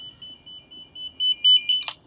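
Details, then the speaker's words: Noyafa NF-8508 network tool tone generator, handheld probe scanning for the signalled cable; steady high-pitched warble swells in bursts as the probe nears the wire, normal tracing tone. "you can clip one of these bad boys on and use a signal Tracer so we hit the scan and even if you're within proximity you can hear it"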